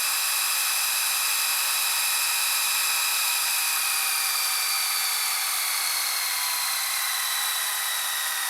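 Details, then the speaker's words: Panasonic SA-HT820V VHS VCR/DVD combo, fast-forwarding a tape to the end: a steady high whir with faint tones sliding as the reels spin up, no scraping; the transport sounds healthy. "So since this is a very fast VCR, I can show you like all the fast forward and rewind cycle. Fast forward. Let it fast forward to the end."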